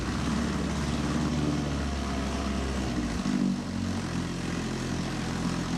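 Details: 1954 Johnson Seahorse 3hp two-cylinder two-stroke outboard running in water, mixture leaned, no neutral; a steady, even buzzing drone with no misses or surges and hot water coming out of the exhaust, running smoothly.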